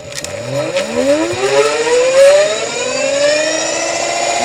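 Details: Clean whine climbing with throttle, then holding steady without grinding or cogging, from a Golden Motor hub motor. It runs properly after a dropout problem was fixed, with all wires plugged in and the phase set.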